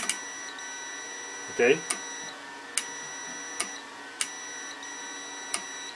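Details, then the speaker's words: 12 V DC normally-open relay switching an inverter via a Victron Battery Protect, multimeter on the contacts: sharp contact clicks every second or so over a steady meter continuity tone; relay closes cleanly. "you can even hear the contact or clicking so that's the way i mean that's the way this is the way it it it will work"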